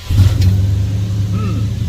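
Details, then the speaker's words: 1966 Ford Fairlane starts instantly and idles evenly after replacing a corroded, burnt distributor sensor that had caused a starting issue; not driven for over a week before. "Starts right up. Perfecto."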